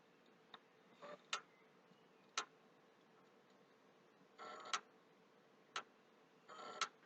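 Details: PlayStation 3 clicking near the hard drive, with very slow startup and restarts despite a formatted HDD; sharp, isolated clicks about once a second at uneven gaps over a quiet hum, stopping and returning. The owner suspects a hardware or hard-drive problem.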